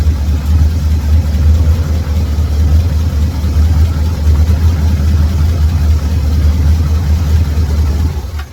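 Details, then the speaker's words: 1978 Chevrolet Camaro daily driver V8 started and idling steady and even, no knocks, ticks or misses before shutoff; owner says no engine or mechanical problems; healthy idle. "We'll crank it up. Let y'all hear it. Show you that there's really no engine problems."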